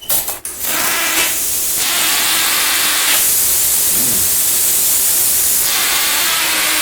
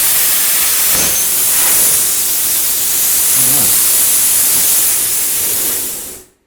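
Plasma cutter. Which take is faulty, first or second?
first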